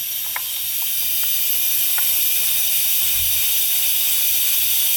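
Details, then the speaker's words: Turbocharged Escalade boost leak: steady sharp hiss of air escaping past intake-side o-ring of rear number seven injector, engine off; injectors generally leaking, injector angle suspected. "you hear that that's actually the rear injector number seven injector all that air is getting pushed out so the o-ring on the intake side is not"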